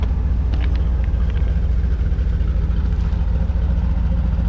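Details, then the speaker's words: OBS truck V8 after a top-end rebuild, carbureted, no exhaust fitted, no coolant yet so only a short run, fuel pressure low at 4 lb: deep, even rumble about 3.5 pulses a second, no knocks or ticks; healthy quiet idle. "Can't even hear it yet until we do the exhaust. Nice truck."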